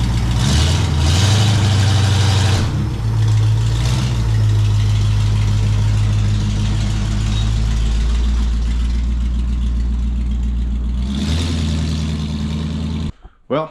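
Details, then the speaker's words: 1974 International pickup, first start with newly modified exhaust (muffler cut off, pipe added): deep, steady burbling idle with an even loping beat, no misses or knocks, then a clean shutoff; healthy running. "doesn't sound horrible over but she shuts this spring is still a little high up in the back so we might have to adjust him a little bit down"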